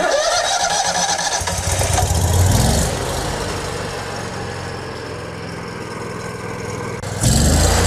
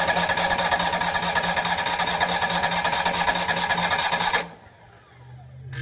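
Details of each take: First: Miller welder Kohler EFI engine after work on faulty fuel pump that flooded the throttle body and letting it fill with gas: starter cranks briefly, engine catches and settles into a steady, even idle with no misfire or stumble. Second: Miller welder Kohler EFI engine after reconnecting the faulty flooding fuel pump: starter churns steadily about two strokes a second for four seconds without firing, then stops; empty fuel system not yet filled with gas.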